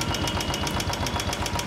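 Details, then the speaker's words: Motorcycle engine hot after 15–20 km of riding: sharp, even ticking about six times a second over steady idle; hydraulic tappets lose pressure as heated oil thins, replacement of the hydraulic tappets planned; the faint cam gear sound when cold is normal. "सुनो देखा दोस्तों कैसी आवाज आ रही है मतलब बिल्कुल इसके हाइड्रोलिक काम करने बंद कर गए इसके तो बेसिकली क्या हो रहा है ऑयल जब हीट होके पतला हो रहा है उस टाइम पे हाइड्रोलिक अपना प्रेशर कर ही नहीं रहा"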